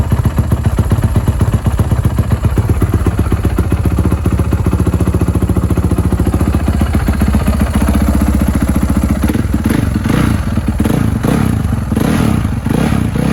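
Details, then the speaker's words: Honda 450 single-cylinder rebuilt after crank snapped and piston blew through bottom end (cylinder slightly damaged), first start: rapid light top-end clatter over lumpy idle, rising with revs; owner suspects loose valve clearance, valve cover to be checked. "So it did start up. To be honest, the motor does not sound the best. It sounds like the valves might be a little loose or something top end wise."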